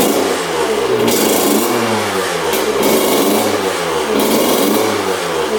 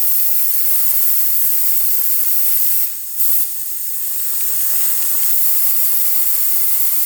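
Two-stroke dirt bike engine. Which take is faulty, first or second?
second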